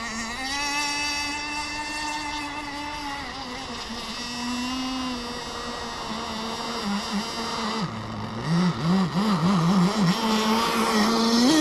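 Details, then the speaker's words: Kyosho Jetstream 1000 nitro boat, GT32 marine engine: high buzzing holds steady then pitch sags and wobbles unevenly; running rough, earlier leaned out then running rich. "sounds like she's starting to get unhappy we're going to let her slowboat around for a"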